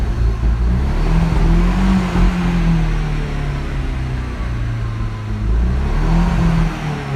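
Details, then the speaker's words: 1.8T Audi TT after a new turbo downpipe, holding about 3,000 rpm: revs climb and sag unevenly, rough beat, then drop and die; misfire. "It's kind of revving up and not revving up. And then sometimes it'll go down here at like 9,000 and and it'll then just drop all the way down and go and then just die."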